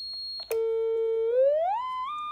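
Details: DIY ICL8038 audio oscillator in a Heathkit enclosure, powered through an ICL7660 charge pump whose noise seems to have been cured by regrounding the supply: a pure, steady tone glides smoothly from low-mid to higher pitch with no hum or whine; output is clean.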